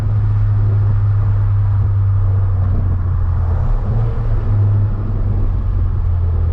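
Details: Ford Focus ST, Stage 3 tune, Mishimoto charge pipes just installed, full-load pull: deep steady roar with a smooth gear change and no stumble or misfire; more responsive, earlier stutter gone.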